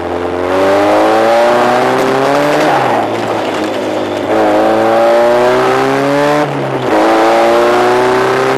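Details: Westfield under progressive hard acceleration turning right mid-corner: metallic banging and vibration under the revs; investigation suggests gearbox mounts too soft, letting prop-shaft balance weights knock against handbrake mounting bolt nuts.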